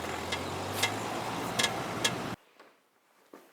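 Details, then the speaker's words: 2014 Peugeot 308 while driving: a few loose metallic cowbell-like clangs at irregular intervals over quiet road hum, seeming to come from a rear wheel; owner suspects a known recall issue, unconfirmed. "And an odd cowbell clanging coming from the back of the car."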